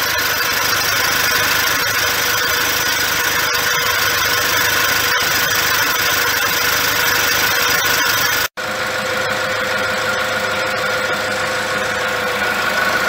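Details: 2006 Toyota Hilux, 1KD-FTV diesel fully rebuilt after seizing: steady idle with even rattle, no heavy knock or miss; healthy and smooth. Later on a drive a turbo noise is noted; rotating assembly was not touched.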